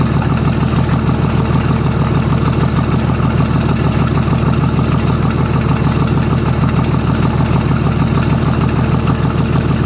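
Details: VM/BMW D190 marine diesel, first start after rebuild with VM 2.4 liner, piston and head: heavy, lumpy clattering idle; leaking shaft seal at the front of the injection pump lets air into the fuel, seen in the return hose.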